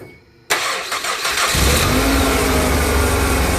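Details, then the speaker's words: 2007 Ford Escape 2.3 L four-cylinder after replacing grinding AC compressor (found with stethoscope), compressor left unplugged until charged: starter catches within a second, settles into smooth even idle, no squeal or rattle; noise gone. "noise is gone everything works great"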